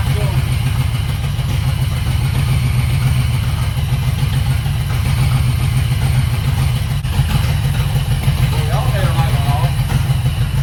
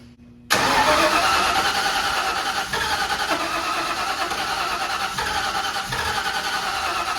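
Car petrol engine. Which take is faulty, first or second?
second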